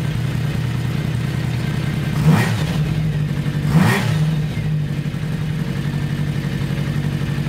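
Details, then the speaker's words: 1982 Kawasaki 750 LTD after replacing four spark plugs (cylinder 1 had been cold and not firing from faulty plug): smooth even four-cylinder idle with two clean throttle blips, no missing beat; normal idle. "so let's start her up see how she idles and see if you can hear the sound better four cylinders working instead of three"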